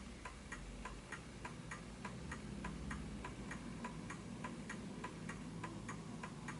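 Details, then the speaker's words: Smiths Enfield oak pendulum mantel clock after a first nudge: quiet ticking about a hundred a minute, tick and tock gaps still not quite even; slightly out of beat, needs further adjustment. "that's a little bit off as well. So let me just adjust it."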